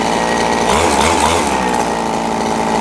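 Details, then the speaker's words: RBC 411 four-stroke brush cutter with a broken clutch bowl, after replacing the damaged clutch shoe: steady high buzz with the blade spinning and no scraping or rattling from the clutch; runs clean. "ติดเครื่องดูการทำงานของใบมีดกับชามคลัชนะครับ[ปรบมือ]ไม่มีเสียงดังเลยนะครับไม่มีนะครับ"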